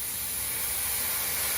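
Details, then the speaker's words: Rapid Air Weapons HM1000x air rifle, cocked and charged with air; steady thin high hiss, leaking around the regulator; owner suspects O-rings inside the brass valve: air leak hiss. "I'm not 100% sure where it's coming out, but it feels like it's around the regulator."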